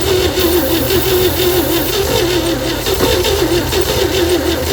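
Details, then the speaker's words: 1960 Chevy C10 235 six after 40 years sitting. Valves were backed off a quarter turn and the oily plugs cleaned; spark is present. Cranking gives uneven, ragged firing pulses that never catch; weak compression is suspected. "Well, it's trying to fire. I think our compression is just so weak. We're gonna have to just crank it to warm it up a bit."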